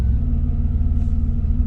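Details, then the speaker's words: Vehicle with non-stock injectors and cam that tries to die right after starting; after holding about 1000 rpm for roughly 90 seconds it settles into a low, steady, even idle with no hunting or misses, apparently reset. "right there we go it's idling and apparently we've reset everything"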